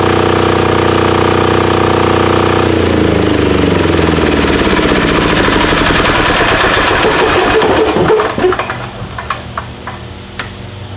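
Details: Titan 7500 W diesel generator, revived non-runner: steady, even clatter about three beats a second, running smoothly then shutting down and coasting to a stop; healthy.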